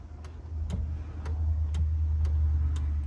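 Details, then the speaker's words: Jeep fitted with a Tesla electronic parking brake, relay triggered by pressing the brake pedal: sharp, evenly spaced clicks about three a second over a low steady hum; the relay is clicking open and closed normally. "and that is the relay clicking open and closed"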